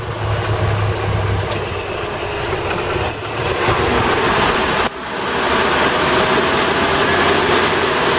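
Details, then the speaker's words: 1988 Toyota Hiace driving after fitting new viscous fan coupling and new belts: steady whooshing fan roar drowns out the engine; coupling holds the fan locked as it should; normal engaged viscous fan roar. "Well, as you can hear when I drive this, the fan's locked in nicely. So I've been giving it some help. All you can hear is fanage. Quite nice."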